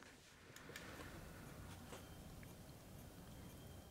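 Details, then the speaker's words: Failing external hard drive, powered up inside its enclosure: low buzzing whir with a faint high tone and occasional ticks as it spins but doesn't work. "And as you can hear, it's just kinda going (imitates buzzing) not workin'."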